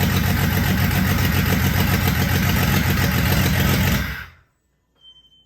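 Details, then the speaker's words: Jeep Cherokee XJ stroker, newly rebuilt engine, first run after fixing the oiling issue and crank sensor position, exhaust open after the header: runs evenly about four seconds with no knock or misfire, then shuts off cleanly; normal running. "i am beat that took clock out of me but it runs and it started first try i'm super impressed with that"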